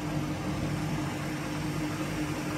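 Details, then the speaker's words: Washing machine after a drum bearing set replacement, spinning up to full speed: a steady even hum from the motor, with the earlier rumbling gone, so the machine is back to its original sound. "çok az önceki o uğultu sesi yok artık mi Evet makinamız hızlanan bildiği kadar hızlandı Şu an gelen ses motordan geliyor"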